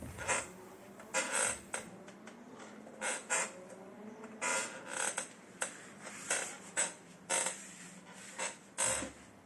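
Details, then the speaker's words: IKEA Markus office chair creaking and squeaking irregularly when sat on or moved, from a dry seat tilt mechanism; fix is opening and greasing the mechanism. "hello and welcome today i show you how you can make your office chair make less noise when you sit on it or move around it"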